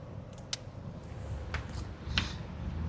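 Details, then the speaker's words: VinFast VF3 after replacing the stock wiper with a new Chippy wiper and changing the washer fluid: soft, even swishes about every second, no squeal, chatter or judder; the old squeaking noise is gone and the wiper is quiet. "Đấy, các bác có thể nghe thế này. Không còn tiếng kêu nữa, không còn cái tiếng kít, tiếng khét nữa. Rất êm luôn."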